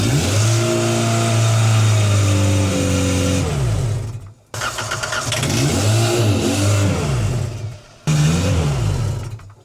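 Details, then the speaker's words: 1990s Genie Z45-25 man lift running on propane: engine revs up strongly, then cuts out into silence twice in ten seconds; stalling traced to a missing MAP sensor hose and missing intake air temp sensor, since fixed. "Why does it cut off like that? So, something it was missing was the pipe for the um pressure What's it called? The MAP. MAP sensor. And then also the air pressure sensor, air flow. Intake air temp. Intake air temp sensor, that one there."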